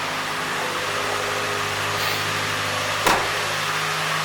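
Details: 2.3 Ford Ranger idling right after a preventive oil pressure switch replacement and oil change; smooth, steady idle with an even hum, no ticking or knocking and no oil pressure warning. Normal idle.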